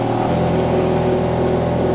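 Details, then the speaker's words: Ferrari 430 Scuderia after an accident, accident safety cut-off switch reset: fires quickly and settles into a steady, even rumble with no stumble or knock; healthy start and idle. "uh sounds good listen we've got no Hazard warning no fuel light come on baby put on the brake all right we have action"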